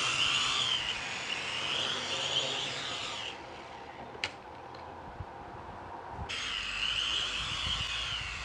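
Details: K70C Sky Warrior quadcopter after replacing two propellers: high even buzz of small motors steady, dips, returns smoothly, no rattle; owner suspects calibration issue, later learned one motor was bad.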